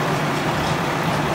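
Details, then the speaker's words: New Holland BR770A round baler running after fire damage repair: new main drive roller, belts, roller bearings and chains. Steady, even mechanical rush with no knocks or squeals, much quieter than before, and the belts are tracking well: normal running. "i don't know maybe start it up and see how they track oh yeah much quieter"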